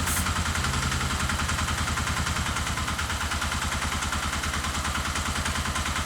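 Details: Custom dual-sport single-cylinder motorcycle with a new carburetor idling roughly, a loping, uneven thump instead of a steady beat; spray testing ruled out a vacuum leak, and the cause is still unknown.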